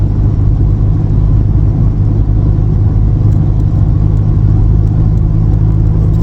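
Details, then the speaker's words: VW Passat B3 with PD150 diesel conversion on 17-inch wheels, cruising: deep steady rumble only between 40 and 50 mph, worse in a lower gear, gone with clutch pressed; owner unsure if wheel bearing, driveshaft, gearbox or road noise. "I'm trying to catch on camera this sound that only happens between about 40 and 50 mile an hour area. It's this weird, I can't even explain it is, it's like a, and when I put my foot on the clutch it disappears."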